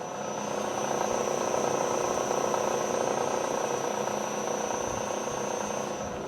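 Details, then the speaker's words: Bridgeport mill head running with the spindle disengaged, so only motor, belts and top drive unit turn: even steady hum with a constant high thin whine, no knocks or grinding, fine as speed rises; normal running, spindle disengaged. "this is the the sound that the head makes without the spindle engage as you can see this this is free right now we can go up with the speed it sounds [Applause] great there's nothing wrong with it everything is running just fine"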